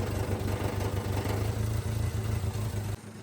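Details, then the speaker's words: Subaru Sambar KS4 imported from Japan, just started after a no-start: a lumpy, uneven idle stumbling about three times a second while the fuel-soaked cylinders clear, with weak, dirty spark plugs. "it's got to puff and burn all of that uh fuel that was in those combustion Chambers and everything out of there and those spark plug are pretty weak and pretty gross"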